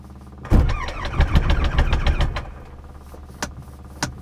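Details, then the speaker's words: Light aircraft piston engine after cleaned spark plugs and new battery, restarted following hand-turning with mags off: coughs and fires unevenly about two seconds, then dies with lone pops; rough running expected from oil on plugs. "and we did say it was going to run roughly because of all the oil so we'll just try that again"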